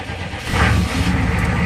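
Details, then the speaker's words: GM diesel with almost dead battery (earlier 2–3 V) and 1.5–2-year-old diesel: labored low churning swelling louder halfway as it finally catches after a long crank; hard start, owner suspects old fuel. "Yeah, it's going to need some new diesel. I mean, the diesel in here is probably about a year and a half, maybe 2 years old, so."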